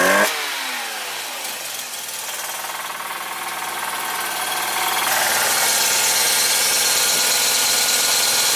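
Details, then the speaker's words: 1985 Mazda RX7 GSL rotary after mixture and idle screw adjustment (idle had been very low): rough, uneven idle with a hissy, ragged, stumbling exhaust beat. Owner suspects it runs on one rotor and plans to clean the spark plugs. "oh it's kind of missing you can hear it's like running on like barely anything"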